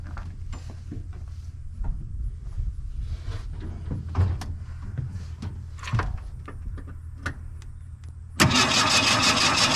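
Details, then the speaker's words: 1980 Ford Mustang hatchback that sat since 1991, with its starter solenoid just reconnected: the engine spins over steadily, about three turns a second, and seems to have compression but never fires. Crank, no start; lack of spark suspected. "I suppose it sounds like it's got compression. It's turning over. As long as we can make it spark, it should run, right?"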